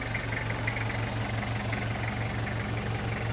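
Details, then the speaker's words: 1994 Toyota LH112 van with 2L diesel, starts easily hot or cold without glow-plug preheating: steady idle with an even clatter about three beats a second, no misses or knocks after restart; normal idle. "เครื่องร้อนเครื่องเย็นติดง่ายตลอดนะครับไม่ต้องเผาหัวนะครับ"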